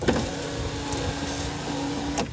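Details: Vehicle after a new window motor and new driver window switch were fitted: window motor runs with a smooth steady hum between clean start and stop clicks; normal power window operation.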